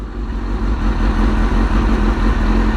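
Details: Suzuki GSX-R motorcycle after new fuel pump and Power Commander: strong, even low rumble with steady beat, no ticking, knocking or stumbling; running smoothly.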